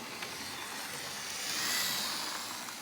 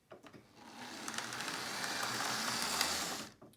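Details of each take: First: Lima Class 37 O gauge diesel locomotive on test after a cutting-out problem blamed on the points: steady, even high-pitched motor whir with no dropouts, running smoothly. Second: Lima O gauge Class 37 model diesel locomotive on a power test: harsh, high-pitched screaming whine as the motor spins up, then cuts off; motor whine.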